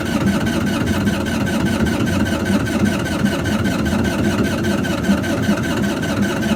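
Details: GreenMech Quad Chip wood chipper diesel, yearly service after battery charge: steady starter cranking with no firing or catch; no fuel in the system, air-locked, later bled by cracking injectors.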